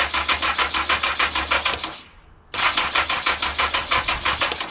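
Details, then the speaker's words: Abandoned barn-find Yamaha XJ900 Diversion motorcycle being revived: starter cranks with steady, even chugs about three per second in two bursts, engine turns over freely but does not catch yet; fuel was later seen leaking at the carbs; normal cranking. "It's turning over. So, that's all I'm bothered about at the moment."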